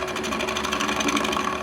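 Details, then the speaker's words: Wood lathe, cutting a bowl interior with a bottom-feeder bowl gouge, which is not a roughing tool; rapid rhythmic chattering rasp as the gouge bounces against the bowl wall instead of riding the bevel. "I can't really rough out wood with this. It doesn't work very well for that. You could go a long way with it, but you can hear the bouncing"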